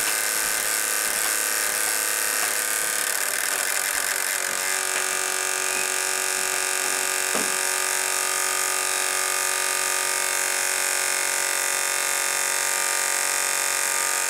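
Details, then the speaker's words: Computer at boot, noise that normally stops once booting progresses: constant high-pitched electric buzz with a fine chatter and no low end, vibration felt on the graphics card; graphics card fan buzz. "frankly it sounds like the uh that this is what's making the noise I feel the vibration here on my finger and that is in fact the uh the video card"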